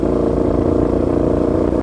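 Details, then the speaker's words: Motorcycle exhaust giving a steady, loud, blaring rumble with no muffling, as if running an open exhaust. The owner reports play at the silencer-to-catalytic-converter joint; the leak is suspected, not confirmed. "j'ai du mal à parler en plus tellement ça me perturbe mais le beau fils est bien forcé c'est comme si j'étais en échappement libre en fête"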